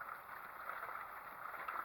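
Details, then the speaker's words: Avalon Bay EcoWash portable off-grid washer: even, steady swish of water turning over in the drum with no knocks or scraping; washing normally. "it sounds like it's going good I like that so piece of cake"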